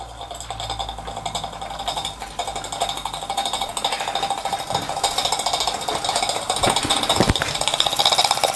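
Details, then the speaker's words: Possibly scratch-built British model steam engine, freshly oiled, running on a gas burner with hot water in the boiler: light, quick, even chuffing and ticking with a faint rattle, very quiet. Normal running. "yes there we go look at that lovely very quiet too"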